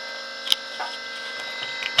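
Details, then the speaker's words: Levoit LV600HH hybrid ultrasonic humidifier running and making mist, with a steady high-pitched whir and a few sharp ticks; white calcium buildup on the internal fan made the bearing noisy, and oiling the fan silenced it. "it is making lots of mist but it's making a racket in there oh yeah so let's unplug it probably needs some oil or something"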